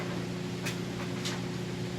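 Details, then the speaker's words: GE electric dryer running with a full load of washed clothes: even motor hum with soft tumble and a few light taps, no knocking or vibration, heating fine; normal running. "as you can hear that sounds great"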